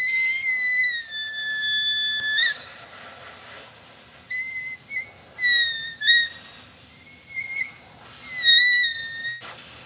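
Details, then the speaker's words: Shrill whistling in sharp bursts from pressurised air escaping, possibly at a loose fitting, found during a six-axle trailer inspection; possibly why the tire pressure was low; needs fixing. "see that y hear that thing screaming we definitely got to fix that"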